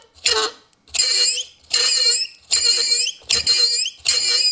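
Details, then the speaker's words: Mercedes W126 heater/AC blower motor, removed and run on the workbench: loud, piercing squeals in short bursts as the shaft turns; lubrication is to be tried to avoid replacement. "squee like a pig imagine if that was on full blast and you're trying to be warm in the winter time it's not a whole lot of fun"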